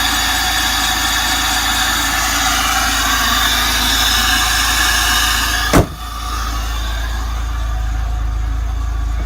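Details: 2000 Pontiac Bonneville SSEi petrol engine: busy, rattling knock heard mainly under load, quieting once the load comes off; rod knock suspected, not confirmed.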